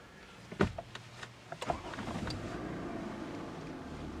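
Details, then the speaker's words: 2007 Toyota Camry XLE V6 push-button start with brake pressed: a few clicks, quick crank, then smooth, quiet, even idle; normal start, though a TPMS warning light is on. "So we'll go ahead and start this up now. And just step on the brake. Turns green and you just press the button."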